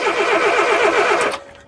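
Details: Engine with mechanical ignition points, cranked at the roadside: an even starter churn at about nine beats a second for about a second with no firing at all; the burnt points give no spark.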